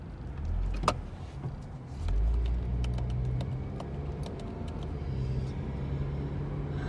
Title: Car’s whining noise